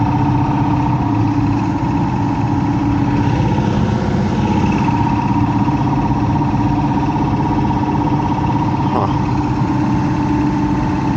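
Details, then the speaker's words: Heat pump blower running: loud steady hum with a rough, uneven low rumble under a constant drone; noisy blower motor, owner suspects something wrong with the fan motor, cause not yet pinned down. "huh what the heck is all this crap it sounds like the F fan motor is something's going on with the fan motor got electric"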